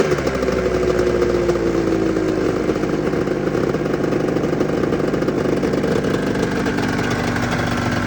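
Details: 1996 Arctic Cat ZRT 600 two-stroke snowmobile idling after a fuel pump rebuild with a Vertex kit. Steady, even idle with a slight pitch drift as it settles and no misfires or stumbles: a normal idle.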